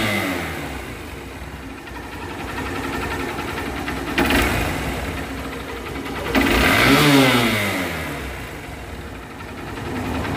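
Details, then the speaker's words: Hero Hunk 150R motorcycle after repair of a rattling head noise: steady idle with two clean throttle blips rising and falling smoothly, no head rattle or ticking; engine sounds healthy, normal running. "Perfect sound. তো বাইকটা এখন আমরা চালাই আসবো।"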